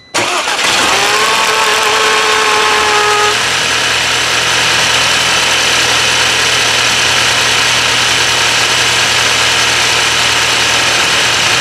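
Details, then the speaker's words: 2009 Audi A5 Coupe 2.0 TFSI petrol (132 kW/180 hp), second microphone placed at the timing chain: cold start settles into a busy idle with steady metallic chatter, timing chain rattle; chain, dual-mass flywheel and clutch replaced. "drugi mikrofon mam położony przy naszym rozrządzie tak żeby to miało ręce i nogi żebyście sami usłyszeli o czym mówię"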